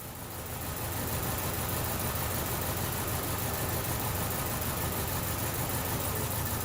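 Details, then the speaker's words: 2012 Chevrolet Cruze idling lumpy, shaking like a leaf; cylinder 2 misfire persists after coil testing, with coils on cylinders 1, 3 and 4 confirmed working; check engine light flashing. "shaking like a leaf go get you shot attached my misfire on number two is still going"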